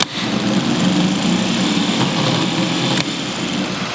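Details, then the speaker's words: MG starter motor bench-tested, Bendix snapping out. It cranks with a steady, labored whirr that never speeds up, spinning too slowly; the cause is not yet confirmed. "gets there but he's moving slowly here we go"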